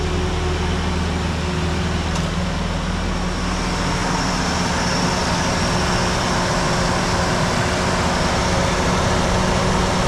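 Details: Ford Ranger 2.3 after full new exhaust from manifold back, just fired up: steady, even idle rumble with no ticking or puffing and much quieter than before; exhaust sealed and running smoothly.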